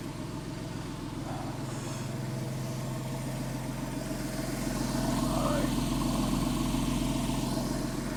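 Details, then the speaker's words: Porsche 997 S after serpentine belt, tensioner and lever replacement and thread repair: smooth even idle rising slightly as it warms, no ticks, knocks or squeals, belt deflection minimal; normal idle. "Well, so far so good. It sounds very healthy. Sounds good. I don't hear any abnormal noises."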